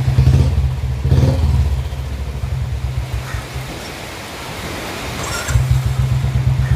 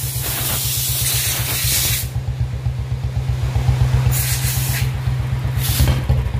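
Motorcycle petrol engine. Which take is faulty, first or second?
second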